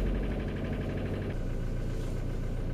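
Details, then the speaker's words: 2003 Ford Mondeo Mk3 estate, 2.0 TDCi turbo diesel, 130 hp, warmed up, injector trouble suspected: uneven, lumpy idle that shifts midway; sounds like cylinders misfiring, cause not confirmed. "but now because it's warmed up it's still not running well but still sounds up cylinders misfiring"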